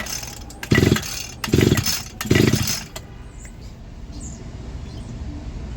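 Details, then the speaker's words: Echo GT 2400 line trimmer, compression test with gauge in spark plug hole; three short pull-start bursts of fast even piston chuffing, reading about 100 psi and holding steady, normal compression. "Whew, that is pretty good. That looks to me like 100 psi. That is very good, and it's not going down."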